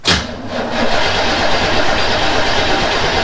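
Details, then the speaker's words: 1977 Chevy C10 V8 on old exhaust, running on fuel left in lines (no tank): loud raspy idle, harsh open rumble with hiss, from a holed turbo muffler, no tailpipes and holes in the Y-pipe; exhaust leak. "we've got one turbo muffler here that does have a hole here and on the underside it's got holes as well and no tailpipes you just came out the end here and that was up underneath there are a couple of holes in the Y pipe"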